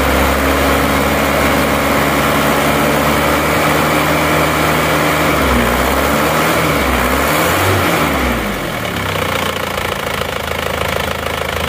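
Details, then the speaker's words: Isuzu Panther 2.5 diesel, first cold start after rework, liners and sleeves thought to be non-original replacements: steady, even clatter with no knocks or misses; idles smoothly. "ternyata mesin juga tidak sebegitu kasar walaupun kondisi mesinnya menurut saya linernya sudah gantian seker juga sudah bukan orinya"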